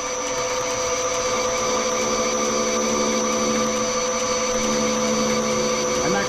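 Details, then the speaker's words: Lathe making BSA Bantam wheel nut parts: parting tool plunging halfway through hex stock, even loud hum with steady tones and faint rough flutter cutting through the hex flats, then full diameter; normal interrupted cut. "so you hear it at humming first and that was just cutting through the H so now we're cutting a full diameter"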